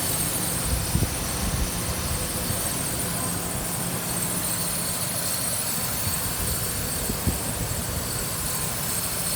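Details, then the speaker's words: 2008 Ford Ranger XLT 2WD 3.0L V6 5-speed manual, 147K miles, no check engine light or codes, engine bay idle: smooth, quiet, even idle with a soft steady hum, no ticking or knocking; healthy engine. "dear how quiet it is no knocking whatsoever is this 3.0 liter v6 engine"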